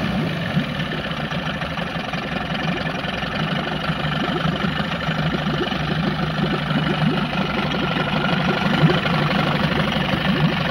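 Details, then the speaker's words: 15 hp Evinrude two-stroke short-shaft tiller outboard on test tank, complaint of no idle: rough, uneven loping idle near three per second that dies after a second; carburetor idle adjustment needs tuning. "So, it runs pretty good at idle, but it did die after a second."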